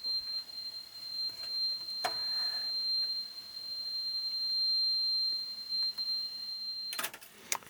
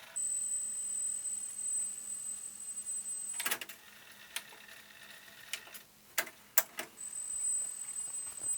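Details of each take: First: Yamaha KX 580 cassette deck before belt service, playing 4 kHz calibrated test tape: steady high tone with crackles and scratchy bursts, very noisy in the left channel. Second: Yamaha KX 580 cassette deck before belt service, 8 kHz side of test tape: steady, clean high tone before and after handling clatter; plays properly, earlier noise suspected from damaged test cassette; likely needs only new belt and quick service.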